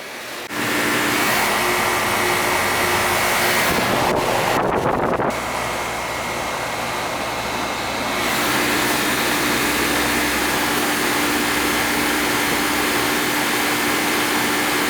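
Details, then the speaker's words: Outside AC condenser unit after repair: fan was not spinning, rusty capacitor replaced; not a hot day, 58 wet bulb, suspected slightly low charge. Even, steady fan rush over constant hum, one brief bump; condenser fan running normally. "It says it's running fine, but I'm just going to check it quick."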